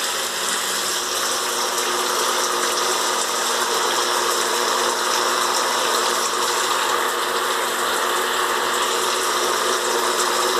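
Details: Faulty electric shower running with water spray: loud steady electric buzz likened to a welding machine, while overheating the water; cause unknown.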